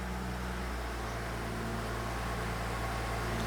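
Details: 2015 BMW X5 xDrive35i, N55 turbo engine, after VANOS solenoid replacement and code clearing (fault showed on cold start): quiet, even idle hum, steady low drone, no misfire or rattle, no engine light; normal idle.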